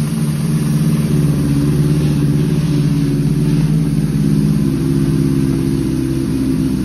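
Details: Suzuki GS750 cafe racer, owned about seven years, just started cold on choke: steady, even low burble with no knocks, misses or ticks over the exhaust note; healthy four-cylinder idle.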